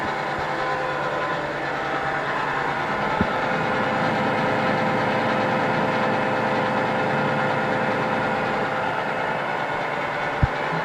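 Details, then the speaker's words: Craftsman shaper model 113239291, 1/2 hp motor, 1/2-inch spindle, running unloaded: steady fairly quiet motor drone, even tone, no knocking or grinding, slight pulley vibration felt in table; normal running. "as you can hear it's not very loud which is which is another good thing when you when you run and touch this table you can definitely feel the vibration in those pulleys"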